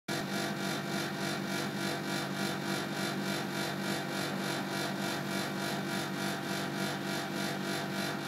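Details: Panasonic CU air conditioner outdoor unit: steady loud whirring hum with fast uneven pulsing about three per second; abnormal noise that occurred twice in November 2010, stopping only after about 10–15 minutes, cause unclear.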